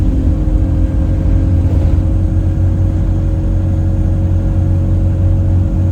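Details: Chaserider 497 (YX67 UYA), Alexander Dennis Enviro 200 E20D diesel bus, felt sluggish: a steady, low horn-like droning hum with faint fixed tones above, following an earlier whistle. Owner suspects the gearbox, as it was much louder towards the front. Not confirmed.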